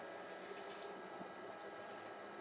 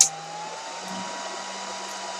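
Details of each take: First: Dell PowerEdge 2950 server after the resistor fan mod and BMC firmware flash, booting into CentOS. Soft, steady fan whir with a faint hum, the two by the processor audible; not silent but much quieter. Normal quiet fan run. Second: Dell PowerEdge 2950 with resistor-modified fans: the fans dropped to about 1600 RPM and triggered an RPM error. Loud, steady rushing whoosh with a constant hum underneath, no surging. Fans at full speed from the low fan RPM error.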